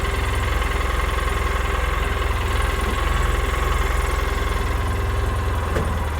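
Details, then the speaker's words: 2006 Polaris Ranger that sat for a long time, after a rebuild with the clutch cover off: a steady, even pulse but a noticeably fast idle; the idle speed is set too high and is being turned down. "all right let's see if I need to make some adjustments to [Music] it sounds pretty high"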